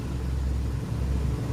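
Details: Mitsubishi Canter 4M50 diesel that was hard starting even when hot, with long cranking and repeated starter failures, now after repair; starts on one click and settles into an even, steady low rumble with no misses or knocks; clean start and idle.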